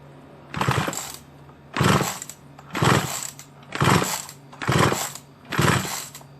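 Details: Small chainsaw left idle a long time, cover, spark plug connector, handle cap and on/off switch missing: six rasping pull-cord strokes about once a second, engine never firing or catching; spark plug checked next.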